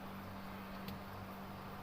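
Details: Fridge that had stopped cooling with its compressor not running, after repair with the faulty PTC relay identified: quiet steady low hum at one even pitch, no clicks or rattles, frost formed inside in under 10 minutes; compressor running normally.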